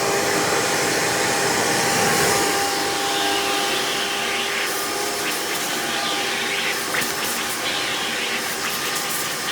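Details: Hoover PowerMax II U5246-940 upright vacuum (2002), direct-air, 12 amp motor with 20-blade fan, after motor work: strong, steady airy roar with constant motor tone, even throughout. Normal running.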